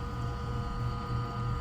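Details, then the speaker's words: Ice-O-Matic GEMU090 flaker ice maker running after start-up, with compressor and fan on and water in the evaporator: an even low hum with steady tones and no rattles or grinding. Running normally. "Compressor's running. The fan's running. Water's in the evaporator."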